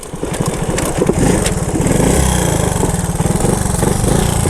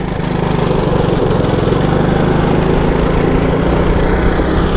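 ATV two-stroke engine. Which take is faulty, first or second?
first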